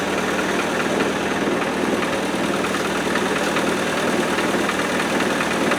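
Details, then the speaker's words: 90 petrol four-cylinder, cold start at about 3°C after sitting four years, new coil: even busy clatter over steady idle; suspected valve tappets or fan shroud, rattle gone after about half an hour running. "But I'm a bit concerned what that rattly noise is. Could be a valve. Could be a tapping. Doesn't it go away? I thought at first it was the shroud hitting the fan."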